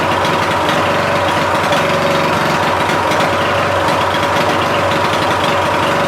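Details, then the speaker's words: Murray Select 14.5HP lawn tractor after starter, stator replacement and valve adjustment (exhaust set to six, intake to four): small single-cylinder engine keeps idling evenly; the magneto kill is not shutting it off. "for some reason the magneto is not killing the thing man I've been working on this damn thing all day"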